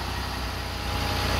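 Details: Petrol car idles smoothly with steady even low pulse and no clicking after fixing constant clicking no-start: battery not working, corroded terminals cleaned, alternator charging 14.5–14.6 V.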